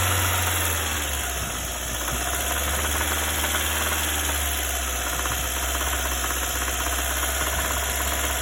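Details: Lada Granta at idle with a loose, uneven knocking at roughly three per second; owner identifies it as crankshaft knock. Engine knock at idle.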